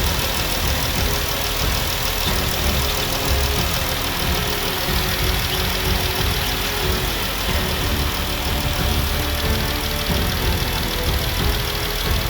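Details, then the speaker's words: Jeep after water pump replacement and coolant refill, running without intake sensor plugged in: steady even idle, front-of-engine rattle from the failed water pump now gone; repair successful. "but as you can also hear that noise is now gone so guys I would like to say this uh successful repair"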